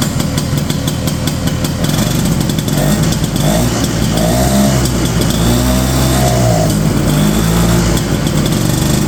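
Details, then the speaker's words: 1970 Ski-Doo Olympique 335 two-stroke snowmobile from auction, choke off, jets turned in: loud lumpy rich idle sagging, gas spitting back from carb; dies on revving; owner suspects leaking carb diaphragms/check valves. "So basically, I think what's going on is some of those little diaphragms in there and stuff I think are kind of leaking."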